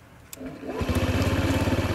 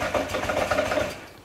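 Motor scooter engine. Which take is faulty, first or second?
second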